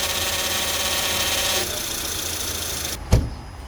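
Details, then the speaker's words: 2004-08 Acura TSX at idle, wheel turned to full left and right lock: hissy power steering pump whine over idle that fades at straight-ahead, suggesting air leaking in somewhere; high and low pressure line rings to be checked. "so just by mere knowledge if it doesn't do what that idle or the straightforward position it suggests air leaking somewhere"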